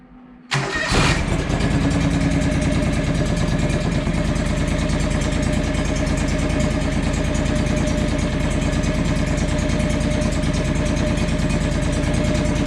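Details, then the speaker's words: John Deere 445 project, just fired after adding 1.5 quarts engine oil, previous issue under investigation (injectors suggested): catches instantly, steady even idle, no misses or knocks; normal start and idle, though blue smoke seen later at wide open. "sounds pretty good it says spark plugs again that's a good sign"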